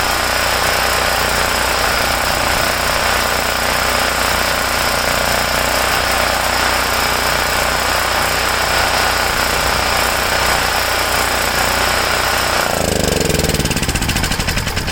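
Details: Homelite generator, 389cc Honda engine, after repairing no-start from poor fuel flow and dirty carburetor (ripped carb base gasket not replaced); steady even drone, constant exhaust beat, no misses or knocks until shut off: running normally.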